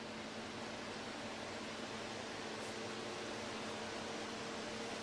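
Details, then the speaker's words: Fan in a homemade simple AC, tested before the pump is installed: even airy whoosh with a faint steady hum, no rattle or wobble; normal fan running without vibration. "so there is no noise of any vibration"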